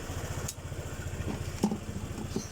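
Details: Honda PCX idling after its charging fault was fixed by correcting a misplaced 25 A fuse, charging now about 13.1 V: low, steady put-put at an even idle with no knocks, misses or rattles.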